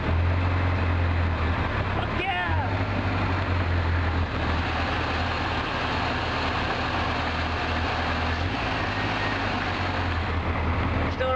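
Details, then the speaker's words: 1980 Triumph TR7 with a self-rebuilt engine, first start, leaking water pump: steady low idle with a slightly uneven, lumpy beat; running a bit rough, still to be dialed in. "a little bit rough right now but i am going to dial it in and eventually it will run pretty good i think"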